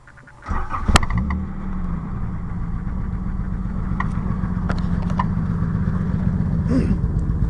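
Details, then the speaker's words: 1984 Nissan Maxima with newly fitted, partly welded exhaust: starts and settles into a low, even idle with a quiet, steady exhaust note, no blowing or rattles; much quieter than before the new exhaust. "much quieter than it was before"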